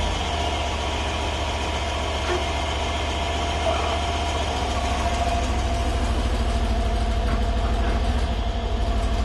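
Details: Stock 2012 Mercedes E550 4matic, M278 4.7 twin-turbo V8, cold start after 5 hours parked, idling: fast, loose metallic flutter over the exhaust from the wastegate flap rattling due to a faulty linkage.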